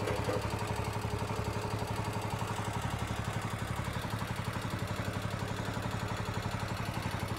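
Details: Cub Cadet 149 with a Kohler K-series single, warmed a few minutes, under throttle. Rapid, even ticking clatter over the steady beat that grows with rpm. Top-end valve train chatter; intake valve clearance was found short, and worn seats are suspected.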